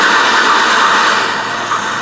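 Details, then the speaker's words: Panasonic RC-6288 FM/AM clock radio, made in China, on FM giving a loud steady hiss with harsh crackle and no station audio before tuning; radio static. "So let's go ahead and have a listen to the radio. Wow, that's scratchy."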